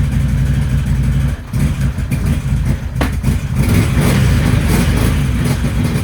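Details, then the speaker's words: 2011 Can-Am Outlander 800 XTP on a test ride after fitting a used ignition switch, no check engine lights: under throttle a lumpy, uneven stumbling beat instead of a smooth twin pulse; running on one cylinder, fuel pressure next to check. "no check engine lights or anything on the dash but it's definitely not running on two cylinders like it's running on one"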